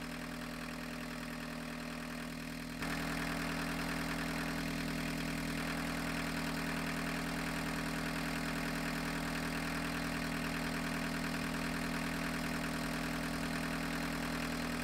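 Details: Abandoned 1985 Volkswagen 1.6L diesel, revived after coolant leaks fixed, warmed up before diesel purge treatment: steady, even diesel clatter at settled idle, no misses or knocks; normal healthy idle.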